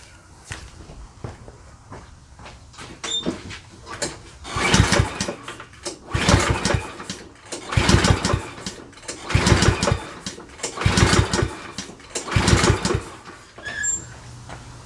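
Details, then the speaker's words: Certified self-propelled push mower with bagger, unused over a year, during a function test: repeated rope pulls about every 1.5 seconds, each a short whir that never catches; cranks but won't start. "all right so it didn't start so next thing we're going to do is try and spray some carb spray in the throat of the carburetor"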